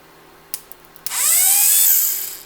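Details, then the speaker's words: 1977 Corvette C3 driver's power window motor bench-tested off a battery: a few contact clicks, then steady high electric whine spinning up and down evenly in both directions; good motor, fault was a poor ground on painted surface. "so that works let's try the other side to go the opposite direction so that's a good motor"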